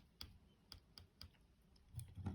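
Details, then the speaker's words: Game controller trigger after cleaning the trigger contact point with cotton swab and hand cleaner (squeak was not from the spring): five or six short dry clicks about half a second apart, no squeak or drag; trigger working normally. "This thing I took a cotton swap and a hand cleaner and gave it a good clean. Now there are no squeaks."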